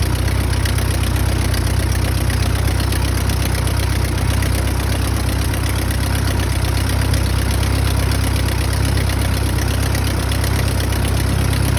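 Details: Piston engine at idle after oil cooler replacement (refurbished 7-row unit, cooling duct reinstalled, new oil filter, 7 quarts oil, primed via spark plug holes with air compressor) to address hot oil temperatures; loud steady low drone, even beat about four per second, no knocks; healthy idle.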